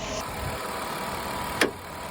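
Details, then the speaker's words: 2002 Ford Escape treated for low, erratic rough idle and lean condition, after MAP sensor repair: even, quiet idle at correct rpm with no vacuum-leak hiss, MAP readings spot on; intake manifold found not tightened. "um but you know our RPMs are right where they should be and are most importantly I don't hear that vacuum leak and our math readings are spot on"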